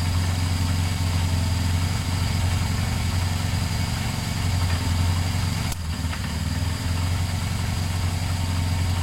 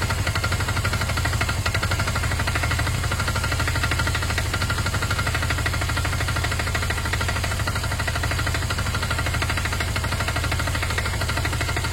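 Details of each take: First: Motorcycle started after a detached second battery earth wire was refitted: a steady, even low idle with a smooth regular beat and no misses or knocks, idling normally. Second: Motorcycle idling after a battery earth wire was refitted, revving fine with no power loss: a dull, fairly even knock of about three beats per second over the engine note. Owner suspects old oil; oil looks okay. Cause unclear.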